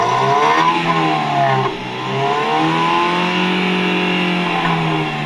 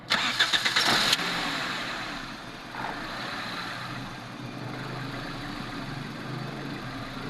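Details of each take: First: 2007 Toyota Corolla XLi after black smoke repair, revved by a helper; pitch rises and falls smoothly with no stumble or misfire sound; engine revving normally. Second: 2007 Toyota Corolla XLi with black smoke and poor fuel economy: brief start then low, slightly uneven idle that never rises and the engine still vibrates; the idle control valve is stuck and not responding.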